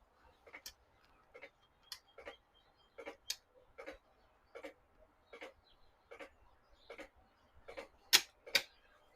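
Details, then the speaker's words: 1995 Macintosh 5300/100 LC powered through a dim-bulb current limiter: sharp dry clicks roughly every half second as the bulb flashes on and off; supply going into protection mode, suspected not enough current through the bulb. "So, the dim bulb is is firing on and off. So, I'm guessing it's not getting enough power."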